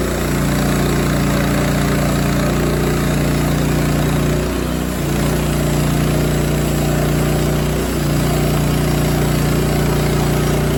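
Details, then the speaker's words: Rima sawmill cutting a 20 ft pin oak slab 3 1/4 in deep, about 18 in wide, new blade on fifth cut: loud steady run with brief load dips, occasional squeal, likely the pulley belt slipping from feeding too fast, plus a noisy new guide bearing. "you can hear every once in a while it sounds like maybe the pulley wants to slip like you hear a little squeal and i know it's probably because i'm going a little too fast"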